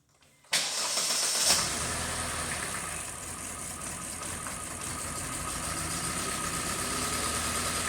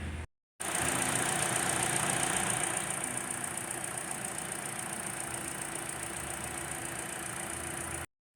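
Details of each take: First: 2018 Kia Forte 2.0 L four-cylinder with timing codes and rattle complaint: uneven, lumpy idle with irregular stumble under hissy top end; exhaust cam fully advanced at idle; rough idle from over-advanced exhaust cam. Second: 2018 Kia Forte 2.0L four-cylinder with rough running, rattle and timing-related codes; after repair, freshly restarted. Smooth, even idle with no knock or stumble, and exhaust cam timing is right on target: normal idle.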